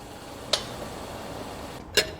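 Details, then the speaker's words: Mazda Atenza two sharp ticks about 1.5 s apart when brake pedal is pressed; pads spaced wide, noise seems to come from the steering knuckle area; dealer service failed to fix it. "这个车的问题是刮到踩刹车异响啊。"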